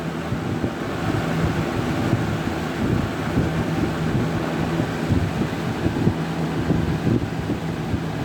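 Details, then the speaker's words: Vintage 1983-1984 Sears model 453-812100 20-inch deluxe fan with thermostat, made by Lasko, running on high speed: steady rushing air with a low, even motor hum, a nice startup sound and no rattles or scraping. Normal running. "So yeah, without further ado, here is high. It's got a really nice startup sound. Runs pretty good."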